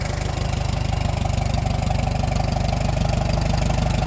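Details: Old tractor parked for years, running on old fuel after points that were nearly closed were fixed: a steady, even idle at about 214 beats a minute with a deep, regular exhaust pulse and no misses. Normal idle.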